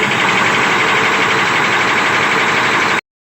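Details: SEM 650B loader, Chinese 6-cylinder diesel, after clearing clogged fuel strainer and tank supply hose that caused hard start and stalling: loud steady diesel roar holds evenly three seconds, no stumble or misfire; running properly.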